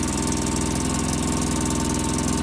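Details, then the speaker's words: 2005 Polaris Ranger XP 700 EFI, just started cold, after throttle body and TBAP cleaning: steady fast busy idle that never drops, well above normal tickover; high idle, throttle cable assumed misadjusted. "okay I just started it today and the idle still seems a little"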